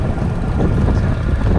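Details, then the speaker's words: Trek Emonda ALR4 road bike at 33 km/h over bumps, with the toolkit turned so its zipper no longer bangs the frame. Only a steady low wind rush and road hum; the rattle is gone. "Going over a few bumps here. 33 k's an hour. So I think I've eliminated the annoying squeak."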